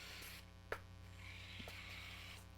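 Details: During a live workshop stream, a steady low hum with a faint buzz on top. It sounds like mains hum in the audio chain; the source is unconfirmed.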